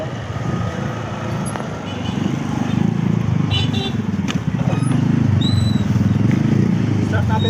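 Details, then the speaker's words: 2024 Toyota Wigo after spark plug replacement, check engine light still on; lumpy idle with irregular stumble, still misfiring; ECU reset to be tried next; engine misfire at idle. "Meron pa siyang check engine pero tingnan natin yung makina doon. Mamalya pa rin sila mga boss pero try natin i-reset yung yung ECU niya."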